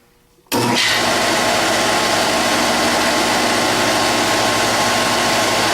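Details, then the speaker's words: Rebuilt GM 10SI alternator on tester, full amperage output check after 14–15 V test: tester kicks on abruptly, then smooth even spin with steady whine, no grinding or rattle; healthy under full load, ready to install. "Now we're going to check the full amperage output."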